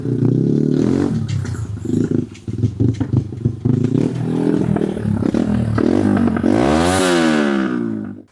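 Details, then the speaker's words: Old TVS Apache RTR 180, a mix of parts from several bikes, started after sitting unused a long time: uneven exhaust note with dropouts, revs swelling and sagging on their own, won't hold steady; intermittent misfire and hunting, cause not confirmed. "പക്ഷെ ആ missing ഉള്ളോണ്ടേ വണ്ടി തുമ്മി പോവാ. നിൽക്കൂല. ചാടിക്കളി ഭയങ്കര ചാടിക്കളി."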